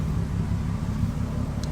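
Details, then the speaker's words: 1978 VW Scirocco with swapped VR6 24v engine idling with the fan running, after a ground was tightened and the relay stopped buzzing so it now starts. Deep, even idle hum with no buzzing or stumbling; normal, smooth idle. "But doesn't that sound good? Doesn't that sound good? Nice and smooth."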